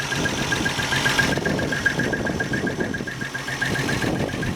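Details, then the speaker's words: First start after engine rebuild, coolant at 195°F: sharp, regular ticking puff over the idle in time with the firing; small exhaust leak, with some oil smoke possibly from overfilled oil. "have a bit of an exhaust leak over there"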